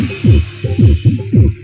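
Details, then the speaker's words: Darpan tower home theatre subwoofer that also makes its series bulb glow: bass comes as rough, cracking throbbing bursts with buzzy hum under each beat instead of clean thumps; faulty bass amplifier IC. "मजा करके दिखा रहे हैं आपको यह आवाज बराबर नहीं ए रही है"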